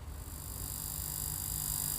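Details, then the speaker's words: Line 6 Helix LT with no guitar plugged in: constant low mains-type hum with thin high buzz from the output, unchanging; noise persists even with unit powered off; cause not pinned down. "all right so this helix scene goes LT is making a buzz like that super annoying yeah turn it up a bit okay there's no guitar plugged in so this is purely coming from the output"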